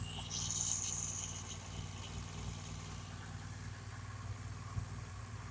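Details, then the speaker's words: Rebuilt accident-damaged 2014 BMW R1200GS with stock exhaust, warm idle as coolant rises from 74 to 99°C before the fan kicks in: a steady, even low putter with no knocks, ticks or misses, a healthy warm engine. "But my my judgment as a newbie, the standard exhaust actually also sounds, I think, quite good."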